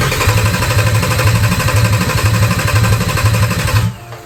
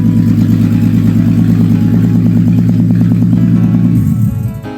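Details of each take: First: Audi A3 3.2 VR6 swapped into a VW Caddy, first start attempt; starter churns about two beats a second with no firing, then stops; crank no start, owner suspects a temporary Wago wire connection or missing trigger wire. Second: Audi A3 3.2 VR6 swapped into a VW Caddy, first run with no exhaust fitted; very loud raw crackling bark at steady fast idle, shaking and buzzing, dying away at the end.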